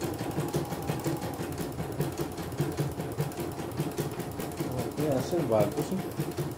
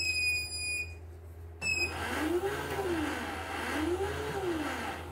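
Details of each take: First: CNY E900 embroidery machine after repair, sent in for a touchscreen that would not respond (also described as dead with a jammed rotation), on a test run: a steady, even chatter of stitching at about two or three strokes per second with no knocks or grinding; running normally. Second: CNY E900 embroidery machine with a touchscreen that won't respond: a thin, steady high whine at switch-on that then cuts out, caused by a detached rubber part inside.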